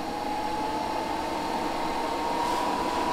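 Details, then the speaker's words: Espar D5E hydronic heater blower in a Sprinter van conversion, wired to run only when the heater is on, at first start-up: even airy rush with steady mid-pitched hum creeping up slightly; blower running smoothly, no rubbing or rattle. "so we wired it to where our blower will only work if the heater or the spar um heater is on that way it never kind of blows any cold air out into the van"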